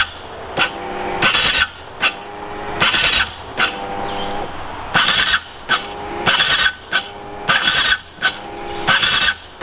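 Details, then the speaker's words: Aprilia RXV small V-twin enduro: starter whirs in short uneven bursts, bogs and stalls against compression without firing; starter fine, wiring harness (already upgraded once) lacks juice, fixable; slow cranking from insufficient starter current. "It's just the wiring harness, and this has actually already been upgraded once. Just does not quite have the juice to crank it over properly, and that's fixable."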